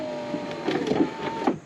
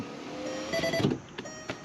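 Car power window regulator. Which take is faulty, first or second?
first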